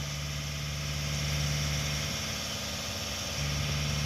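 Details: 1988 Swift Kontiki diesel motorhome starting after sitting unable to start, on jump leads after glow plugs: it settles straight into a steady, slightly lumpy idle with an even low throb and no knocks. It starts; a new battery is advised.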